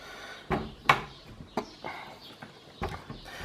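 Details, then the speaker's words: Cat door after its hinges were lubricated with plastic grease: only a few dull clacks as the flap hits its stops, no creak or squeak; hinges now quiet. "this is the door that's now been taken care of on those hinges and lubricated with plastic grease you can tell us much more silent now"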